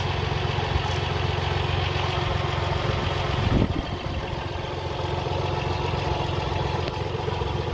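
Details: Car engine idling after a loose pulley was removed and spun silent; rough, uneven whirring clatter from the front accessories, steady with engine speed; worn water pump bearing, antifreeze leaking and puddling beneath the water pump pulley.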